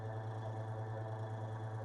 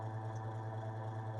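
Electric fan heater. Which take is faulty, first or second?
second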